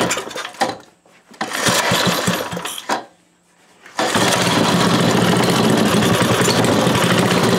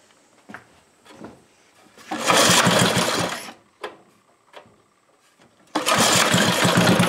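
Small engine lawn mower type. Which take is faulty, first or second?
second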